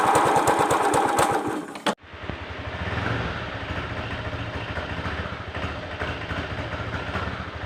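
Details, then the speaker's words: Motorcycle at idle after a throttle blip: single-cylinder exhaust beat with an irregular tapping clatter; abnormal engine noise, cause unknown. "Kira-kira apa ya ini suaranya yang bermasalah?"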